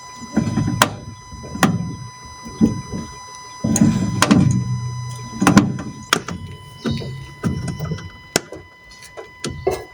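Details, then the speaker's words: Fiat, front suspension, steering turned with the car practically stopped: dull, irregular clunks roughly every second. Cause is a binding front strut top mount bearing, a known fault across Fiat, Alfa Romeo MiTo and Lancia Ypsilon. "the customer says he is turning the steering wheel with the car practically stopped you can hear a clunky noise"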